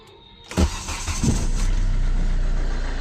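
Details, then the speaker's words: Hyundai Verna 2010 1.5 CRDi U1 diesel, old car, before Liqui Moly Diesel Purge treatment: starter cranks briefly, then loud clattery idle with steady low knock rhythm; noise increased with age, cause unclear. "तो ये हमारी car की कुछ अभी ऐसी आवाज़ आ रही है। मैं आपको बाहर से भी एक सर्टेन डिस्टेंस से दिखा देता हूँ और उसी डिस्टेंस से मैं दोबारा दिखाऊंगा, ठीक है। तो ये देखिए, ये नॉइज़ लेवल अभी हमारे कार की है।"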